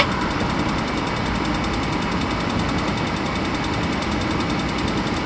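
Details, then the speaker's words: Suburban RV furnace after clearing a blockage that locked the fan and replacing a fuse: smooth, even blower rumble with a steady airy whoosh, no rattles or scraping; normal furnace blower operation. "okay got fan blowed some dust out I bet she fires right"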